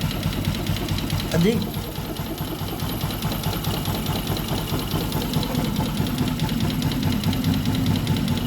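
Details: Newly bought Yamaha Jupiter MX (non-clutch) idling with a loose, uneven knocking at a modest rate. Grey oil makes the owner suspect coolant in the oil; the mechanical knock's source is unclear.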